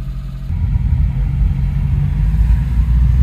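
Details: Suzuki kei vehicle starting on choke once fuel was added to the empty tank: after it catches, a steady, low, even small petrol engine rumble with no knocks or misses; running normally.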